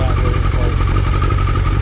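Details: 2003 Suzuki Hayabusa Gen 1 after clutch repair, top friction plate reinstalled: loud, deep, steady exhaust burble at idle with no clutch clank underneath; idles normally.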